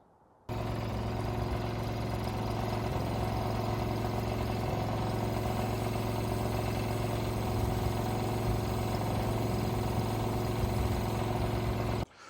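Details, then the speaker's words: Boomless herbicide sprayer rig on a golf course, first run after an upgraded control box with a pressure gauge, a master boom switch and left, center and right valve switches: steady, even engine drone and low hum, no knocks or rattles, no leaks, working fine. "there you have it. Everything is working fine. We got no leaks. Electronically, it's working how it needs to."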